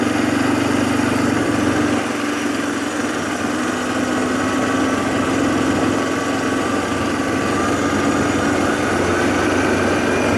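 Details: 2007 Arctic Cat ATV 400 engine at steady, even idle with smooth unchanging note, no knocks or misses, after sitting a year and a half; fixed with carburetor cleaning and a new spark plug, healthy and settled.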